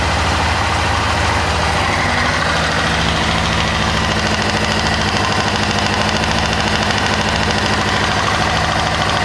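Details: 1998 Kawasaki ZX6R four-cylinder idling steadily after a valve adjustment, with a light quick ticking that seems to come from the rear, under the fuel tank, rather than the cam chain area.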